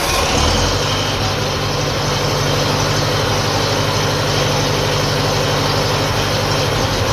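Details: 1957 Ferguson FE35 TVO tractor, cold start on a drop of petrol, old water pump and fan belt fitted for charging test: steady, even low thrum about four beats a second, no knocks or misses; charging light stays on. Normal idle.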